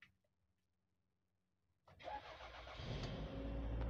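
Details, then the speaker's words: 2001 Toyota RAV4 AWD automatic, 2000cc engine, about 148,000 km: short crank, catches promptly and settles into a steady, even, smooth idle with no knocks or ticks; healthy start. "Nah, ini kondisi Toyota RAV4 dengan mesin yang menyala. Untuk suara mesin halus ya."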